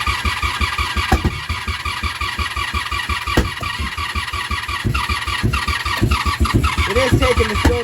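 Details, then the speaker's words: 1987 Honda Super Magna project with a new battery, spark plugs and fuel turned on, choke applied: rough, low chugging cranking with uneven pops while the carburetors fill, then the engine catches and runs. Slow start until the carbs fill. "she's not taking yet what was that sound all all right um should have fuel in the carbs by now see what she does"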